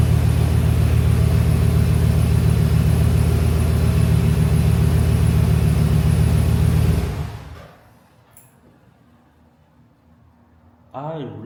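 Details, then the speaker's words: Truck engine after replacing faulty idler pulley that caused a turbo-like whine: deep, even engine and exhaust rumble with no whine, then shutoff; repair successful, running healthy. "And now I don't hear any more whining. It's just straight menacing engine and exhaust."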